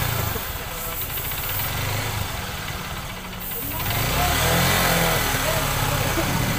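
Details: Honda XR150 single, after repair for weak pull: clutch housing re-riveted with new rivets; putters evenly at idle then revs cleanly, the earlier loud rattle from the clutch side gone.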